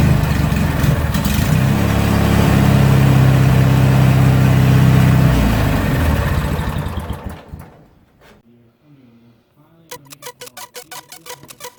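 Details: Riding mower after winter storage, fixed with a new starter relay, cleaned fuse and refitted battery: fires right up and settles into a strong even low thrum for several seconds before quieting. Starting circuit working normally.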